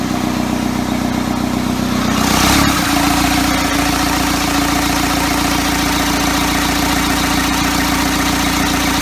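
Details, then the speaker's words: Engine from a first-ever engine build (custom motor mounts) at its first start, given extra fuel to fire: catches after cranking, then a slow, lumpy chug around two beats a second; idle speed too low. "way too low way too low there we are"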